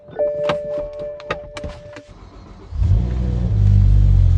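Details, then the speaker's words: Revived E60 BMW M5, V10, 6-speed manual, cold start the morning after a 30-mile drive: door thunks and chimes, then the engine catches into a strong steady fast idle, no longer hunting; sounds healthy. "Cold start. Sounds mint. The idle is no longer hunting."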